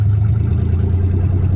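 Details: Nissan 300ZX with engine just swapped in, first start, open downpipe with no exhaust: deep uneven drone with drops in exhaust beat, won't rev cleanly; misfire, owner suspects old bad gas.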